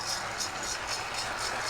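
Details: Used Lionel Southern Railway train set running out of the box: airy hissing puffs come about three times a second, each rattly rather than a clean chuff; the chuff sound unit is rattling.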